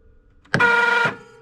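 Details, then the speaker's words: 2004 Polaris XC700 snowmobile starter powered through its solenoid by a 20 V 5 Ah drill battery, before the ring gear is fitted to the primary clutch: a half-second high, thin whir with no engine turnover, so the starter spins freely without engaging. "that doesn't sound good. Well, solenoid works, starter works, but what the heck does it spin?"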